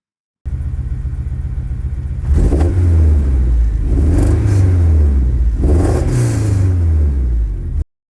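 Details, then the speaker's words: K24-swapped 1990 Honda CR-X with a random misfire for months and no codes or check-engine light: revs rise in uneven surges with a stumbling, lumpy note; it misfires at idle and smooths out higher in the range; cause unknown. "I currently have a misfire that I'm not able to pinpoint exactly where it's coming from."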